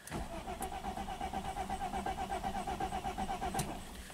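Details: 1995 Mercedes-Benz E320 wagon, 285k miles, OBD-I, owner reports no spark, check engine light on: starter turns the engine over at an even four beats a second for several seconds but it never fires; crank, no start.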